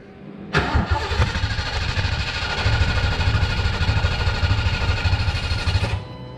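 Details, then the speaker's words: 1988 Ford Mustang 5.0 with Vortech supercharger, new Walbro 255 LPH fuel pump: starter cranks steadily about five seconds but it won't start; pump either dead or needing reverse polarity, polarity later reversed. "alright so as you seen that we had a problem the car didn't want to start so I'm thinking that either the pump was dead or needed reverse polarity"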